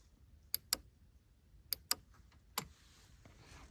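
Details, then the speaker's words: Jeep Grand Cherokee 2.7 CRD whose driver's door would not unlock; after resoldering the central-locking relay and heating its contact, a small relay gives five crisp, dry clicks, mostly in quick pairs, as it pulls in and releases normally when tested. Locking then worked. "Другий туди масую і слухаємо, що клацає вона. Воно так масує, а ви слухайте тут."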